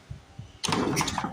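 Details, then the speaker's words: 1930s Briggs & Stratton Model Y single-cylinder engine, about 90 years old, being revived and likely flooded: quiet start, then strong uneven chuffing pulses as it cranks over; compression sounds good, but it is not firing yet. "oh you can hear that compression now can't you"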